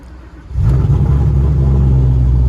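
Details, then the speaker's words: Silverback Mustang GT500 V8, hot restart after a drive while trying to catch an intermittent hot-start fault for a Lund Racing data log: engine catches half a second in and settles into a deep, steady idle without sagging; the fault did not occur. "nope of course it didn't even do it so i guess i'm gonna have to drive it around a little bit more or something"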